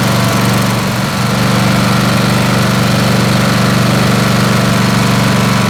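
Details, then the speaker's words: Snapper SR-Series 10HP Briggs & Stratton single, stored 10 years, running an aftermarket Amazon replacement carburetor: uneven stumbling beat with skipped firings, still missing from the exhaust side, probably lean, and backfiring from the other side. "all right so you see what's happening right it's still it's still missing from the exhaust side and that's probably lean although i don't smell it as lean and then we get it back firing out of this side okay"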